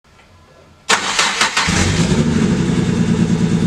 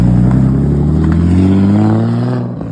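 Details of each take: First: Barra-swapped Mustang drift car cranks, fires up, then settles into a very rough, uneven, lumpy idle that stumbles irregularly; air-fuel ratios pegged lean, over 17; one cylinder dead from a faulty injector and low fuel pressure. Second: Barra-swapped Ford Mustang drift car after replacing faulty cylinder-one injector (plus fuel pressure regulator change): strong clean note climbing smoothly, even firing, no stumble or miss; now runs healthy on all six.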